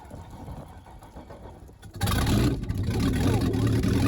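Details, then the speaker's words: 2001 Tige 21v Riders Edition inboard V-drive engine during winterizing, running on a hose water supply: cold start, quiet at first, then it catches and settles into a steady even low rumble with no knocks or misses. A healthy cold start. "there is water cold start did you hear that yeah guys we got to run in now we got 5 minutes"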